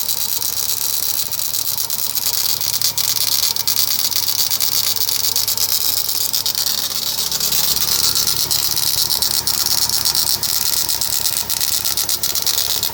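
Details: Rattle from the crankshaft pulley area at the front of a VW EA111 engine: irregular light rattling about three times a second over a hissy running engine; cause unconfirmed, owner asks for a solution.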